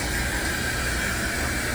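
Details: Samsung washing machine's final spin after the flange shaft replacement (the old shaft had broken apart): a steady, even rushing hum at high spin, no knocking or grinding, no longer shaking or walking; a normal, fixed spin.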